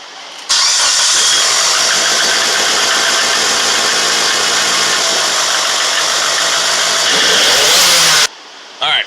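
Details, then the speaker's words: 2005 Mitsubishi Lancer Evolution with upgraded big turbo, performance clutch and aggressive cam, heard before AC compressor replacement (broken belt, seized rusted pulley): catches cleanly, then a loping, hunting cam idle, otherwise smooth and healthy. "it has a cam in it too it's hunts for an idol"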